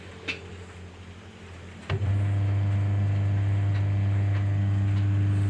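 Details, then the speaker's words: SAP Dolphin jumbo washing machine with a noisy-running complaint, motor spun empty with the gearbox removed: a click, then a smooth, steady low hum with no grinding. The motor is normal; the gearbox is inspected next. "Alhamdulillah untuk di bagian dinamo masih normal, suaranya masih halus, Teman-teman, ya."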